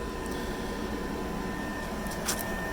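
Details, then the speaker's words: Tesla Supercharger V3 stall in Metter, GA, on a 46°F evening during charging: steady fan rush with two constant high tones and a low hum, no surging or rubbing; the cable feels cool, and the owner suspects cooling for the liquid-cooled cable. Normal. "I don't feel any warmth on it but there is a fair amount of fan noise coming from these stalls"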